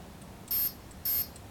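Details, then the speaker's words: Align T-Rex 500 BEC speed controller after re-powering, reading back settings: two short identical high beeps half a second apart, meaning helicopter mode 1 soft start (then two for medium throttle response). "for helicopter one soft start and two for medium speed throttle response"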